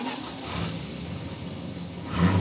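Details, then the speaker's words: 1966 Plymouth Fury II, cold start in an 81-degree garage: low, uneven rumble, then a short, soft throttle blip that barely picks up; the engine is too cold and hesitates, needing to warm up. "Give her a little gas. Oh. She's too cold. She ain't ready yet, is she?"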